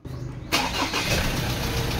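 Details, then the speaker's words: 2003 Ford Ranger automatic after cleaning and refitting the camshaft position sensor: engine catches after a brief crank on the first key turn and settles straight into a steady even idle; normal start. "rs so One Click lang po mga kaal umaandar agad"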